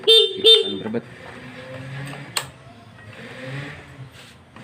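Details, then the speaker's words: Yamaha Xeon scooter that kept stalling and was hard to start, after rewiring repair: two short, loud, clear horn toots, louder than before the fix; engine now expected not to stall. "perbedaannya suaranya juga kencang dan dipastikan motor tidak akan mati-mati"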